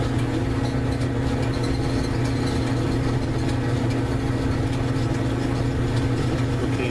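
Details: Whirlpool electric dryer (240 V) with no-heat complaint, running after repair: steady even low hum with no knocks, squeals or scraping; heater now glows red, dryer runs smoothly.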